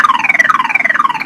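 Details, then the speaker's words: Truck with battery drained by lights left on overnight, during jump-start attempt: loud siren sweeping up and down in fast cycles; nearly dead battery has just enough power to trigger the alarm. "so eventually evidently the power has the battery has just enough power to activate the alarm which means my truck thinks it's getting broken into even though it's dead"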